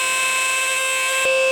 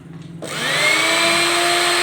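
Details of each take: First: Juicer mixer grinder: high, steady whining hum with a shrill edge while running; dry motor bearings needing oiling. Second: Juicer blender/grinder after repair of noisy fault (reverse-thread parts removed and refitted): clean steady high whine spinning up, even pitch, smooth wind-down, no rattle or grinding; normal running.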